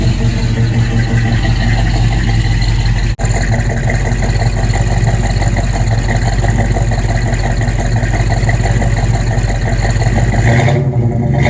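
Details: Buick V8 (one of the project cars: 1971 Gran Sport with bored 455, 1970 GS 455, or 1970 Skylark GS clone with 455) settling into a deep, even idle with steady firing and no knock or tick, sounding much better after tightening to cure a noise; normal.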